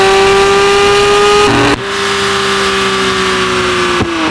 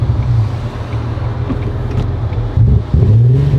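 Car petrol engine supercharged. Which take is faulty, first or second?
second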